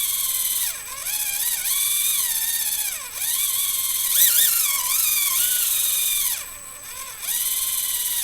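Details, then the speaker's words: SCX24 Jeep JLU RC crawler with CVD axle shafts and modified gearing: high electric whine sags as wheels reach full steering lock, motor bogging from steering bind; fixed later by reinstalling stock knuckles and shortening shafts. "And there's bogging the motor. Kind of bummed."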